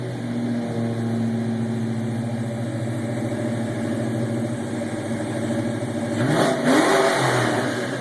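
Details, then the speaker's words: 1993 Mustang LX V8, custom cam, ported intake, X heads, recorded inside cabin with windows down in garage: choppy lumpy burble climbs cleanly on sharp blip to about 5,000-6,000 rpm and settles, no misses; healthy free revving. "that's around 5,000 right there that's right around 6,000 RPMs or so"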